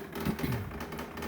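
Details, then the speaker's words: 2021 Samsung refrigerator ice maker, unused with no ice: faint uneven whirring and ticking from the mechanism inside, continuing even with the ice maker switched off. "you move it and it looks like there's a mechanism inside there that's making the noise"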